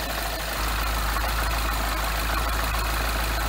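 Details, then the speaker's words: Freshly rebuilt 2012 N14 Mini JCW Coupe idling just after its first start, with burn-off smoke. Smooth, steady hum with no hydraulic lifter tick or tapping; a normal idle. "as you could tell on this it's already around the hydraulic lifting because there's absolutely no little noise in this car"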